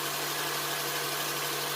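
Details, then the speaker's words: 2007 Honda Accord engine at first start after timing chain replacement (Melling kit) and valve lash adjustment, not yet at temperature: steady even idle with no ticking, knocking or valvetrain rattle, no check engine light; normal idle. "Let's start her up, hope for the best. Sounds good, no check engine light."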